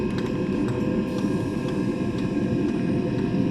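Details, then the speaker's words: Eberspächer Espar D2 heater on the bench, customer unit that went into error; fan spinning up and heater starting with fuel connected, stored error 33 (fan); steady blower hum with soft burner roar, no scraping; normal running. "yeah i can hear it spinning up the pump is not clicking ok now okay so the heater is starting"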